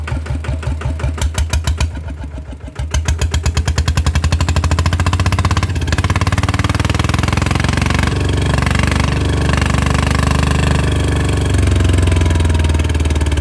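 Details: RT100 two-stroke motorcycle after draining engine oil that had not been changed for a long time: rapid, crisp popping that settles into an even, steady run after a brief blip, with no knocking or rattle; sounds normal.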